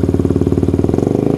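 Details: Yamaha Vixion single-cylinder motorcycle during charging check, battery 12 V off, 13 V idle, 14 V revving; crisp even exhaust pulses, no knock or rattle; normal revving.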